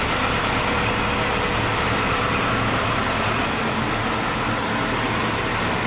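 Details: Diesel engine that would not start, running after testing and replacing glow plugs (heaters): steady, even diesel clatter with no misses or stumbles, now running smoothly on its own.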